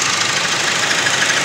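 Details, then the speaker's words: 2016 Chevy Sonic 1.4L turbo Ecotec at idle: thin high bird-like chirping squeak, louder with AC on, fades when revved, persists with belt removed and pulleys fine; caused by a clogged PCV valve. "i got like bird chirps so it squeaks but it's not like crazy but when you give it gas it kind of goes away"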